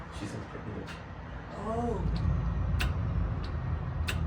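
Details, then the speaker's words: BMW E60 M5 SMG transmission, engine off, scan tool running hydraulic pressure reduction before accumulator removal: soft low hum with faint clicks as accumulator bleeds down from about 9 bar toward 1 bar; normal depressurisation. "That's the sound of the accumulator reducing the pressure. It's at 9 bar right now."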